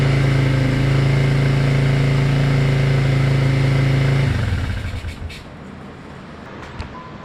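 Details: Yamaha Moto 4 four-wheeler that sat about 20 years, first start after revival on temporary fuel tank with booster pack: steady, even low thump at idle, about four beats a second, no knocks or misses, then shuts down cleanly; normal idle.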